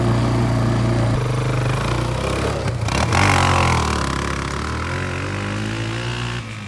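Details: Kawasaki Bayou 220 barn-find ATV on test drive after carburetor cleaning, straightened racks, rear right wheel bearing, seal and drum brakes: single-cylinder pulling steadily with even low drone, no knocks or rattles; running really good, no issues.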